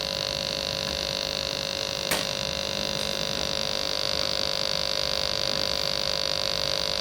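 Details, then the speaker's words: Sega TeraDrive with its bad power supply connected, at power-on: a steady high-pitched whine with a low hum that holds constant. The failing supply sags under load, the 12 V rail dropping to 10.65 V and the 5 V rail to about 3 V. "So I'll start off with the bad power supply. Hook it in. And we'll start off with yellow on this one. Make sure that's in well. Oh, there's that noise."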